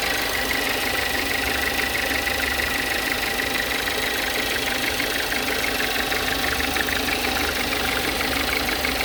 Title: weird noise volkswagen jetta